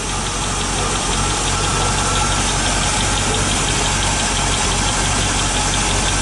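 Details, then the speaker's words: 1986 Chevy K10 4x4, 5 L V8, first start after 9 years and parked 14, possibly running on 9-year-old fuel, with good oil pressure: light, fast ticking over a rough V8 idle; still a slight tick, cause unconfirmed. "It's still a little bit of a tick there."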